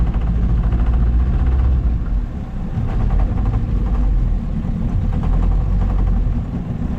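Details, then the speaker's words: Outboard on a $700 auction boat at full throttle on the lake: loud low roar, uneven and spitting, misfiring and sputtering; the owner suspects it just needs carb adjustments or time to burn deposits off. "That's full throttle again, so you can hear that thing misfiring and spitting and sputtering, so probably just needs a bit of adjustments."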